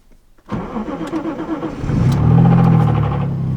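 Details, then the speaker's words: Lexus IS200 engine just swapped in, first start; short crank, it catches and revs, then settles with a light, quick knock tapping under the idle; rod knock, engine considered dead. "oh yeah that Rod loock just a little bit but it's enough to be dead"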